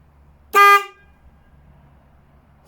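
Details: Motorcycle after fitting a Denali SoundBomb Mini air horn replacing the original horn; one short, loud, bright blast, steady pitch, no rattle, cutting off cleanly; new horn works.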